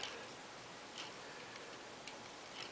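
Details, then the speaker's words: 12-speed bicycle wheel after spoke tightening to true it past the brake: very quiet spin with only a soft tick about twice a second and no scraping; wheel spins freely, one loose broken spoke remaining. "actually running a lot better there's no noise there now at all"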